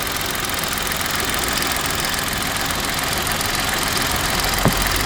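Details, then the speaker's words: Engine idling smoothly, clean and running well, with a light quick ticking of the three injectors over an even hum; normal injector tick, timing chain present, engine looks healthy. "You can hear those little injectors ticking. You know, those 3 injectors ticking."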